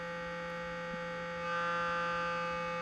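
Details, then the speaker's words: 1968 Sears Silvertone console stereo, street find: a steady test tone turns harsh and buzzy as the level rises, with the scope on the interstage transformer primary; output clipping begins at about 4.96 volts peak to peak. "So let's see what voltage are we getting here peak to peak just where do we start to clip we start to clip right about 4.96 volts."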